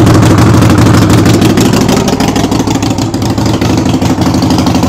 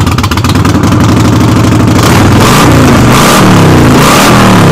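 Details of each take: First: Harley-Davidson Sportster after brake switch repair, warming up for an oil change with the rear wheel jacked up and spinning in first gear: loud, lumpy, steady V-twin beat with a little freight-train mechanical rattle; normal running. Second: Harley-Davidson V-twin started in neutral with the rear wheel jacked up, revving hard with a loud metallic clatter on the lumpy beat, rattling like a freight train; rattle source not yet pinned down.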